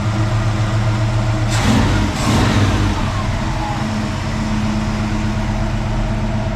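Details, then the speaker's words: 1969 El Camino SS with a motorhome 454 V8 and Muncie 4-speed, first run after full assembly and a heater hose replacement: deep, even rumble, throttle blip settles smoothly, no knocks or misses. "We'll go ahead and we'll fire it up for you. Ooh. Hey, what do you think? That sounds pretty good."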